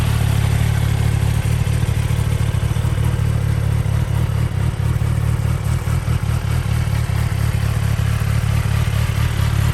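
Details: 2023 Kawasaki ZX-10R KRT edition, 29 miles, in its break-in period, idling before a ride: a steady, even low burble holding constant speed, no knocks or misses. A healthy idle.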